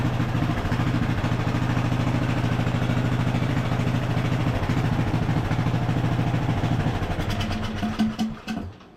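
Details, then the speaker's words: Craftsman LT1000 riding mower single after carburetor rebuild, air filter fitted, upper shroud off: steady even putter at idle with smooth regular beat and no misses, then shuts down; running healthy. "It should run a little bit better too with the air filter and having the correct suction on the carburetor."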